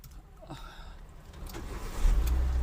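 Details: Hyundai i10 Magna, parked 15 days, would not start due to a cut fuel pump wire; after the wiring repair, quiet handling noises, then the engine catches at about two seconds and settles into a steady idle; starts normally.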